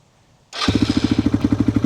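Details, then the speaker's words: Pulse Adrenaline 125 motorcycle after sitting four years, with rebuilt carburettor, new fuel tap, rebuilt ignition and fresh fuel: it fires instantly on the button into an even single-cylinder putter, about twelve beats a second. Normal start and idle. "Look at that, straight on the button."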